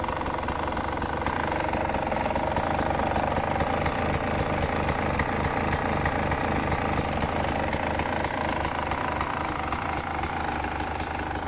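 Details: 2018 Beta 300 RR two-stroke running steadily: a sharp tick about four times a second over the exhaust burble; the source of the engine tick is undetermined.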